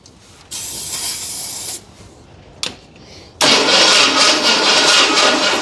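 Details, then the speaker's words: 1981 Ford Bronco, start attempt after purchase: remote button bumps starter, coil connected, carburettor fuel bowl filled; two bursts of steady cranking, never fires. Owner suspects ignition timing issue. "That's got to be a timing issue. Back to the drawing board with that."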